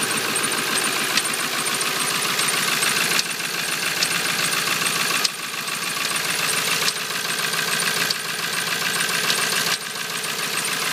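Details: 1997 Ford F250 Powerstroke diesel, cold morning start around 40°F: fast light tapping about three per second over idle, only at idle, not rpm-related, gone when warm, no other symptoms; cause unknown.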